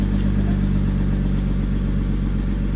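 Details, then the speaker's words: Exhaust idling smoothly and quietly with a low, even rumble and no rasp, drone or popping, just after a new exhaust line was welded and fitted; normal idle with quiet exhaust. "La ligne est montée. Elle est montée. Hop. Ça fait pas de bruit du tout."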